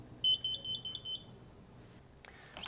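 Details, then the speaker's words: Solinst 122 Interface Meter, ground cable attached, switched on: quick string of short high beeps then quiet; normal power-on self-test. "First, attach the grinder cable to a ground. Then power on and listen for the 5"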